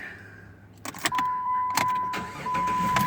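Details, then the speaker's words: 2007 Jeep Grand Cherokee 3.7 L V6 with prior no-start and transmission temp over message, after cleaning corrosion on the starter wire post: brief crank, then fires promptly and runs steadily under a dash chime; normal start. "because I found the corrosion and the car started promptly I think we dealt with the problem"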